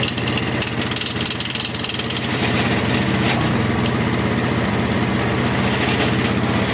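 Small single-cylinder engine runs fast and even with no misses or belt squeal, and traffic hums behind it; the machine sounds healthy.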